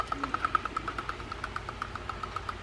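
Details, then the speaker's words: Penn Sargus 7000 spinning reel, heavily sand-damaged after going for a swim on the beach: dry ticking about nine times a second while cranking, one knock per gear pass from sanded gears; bail also not tripping reliably, looks bent. "can hear the knock and also the uh the bail isn't tripping all the time now the bail looks like it's bent uh so we'll take a look at that one as well"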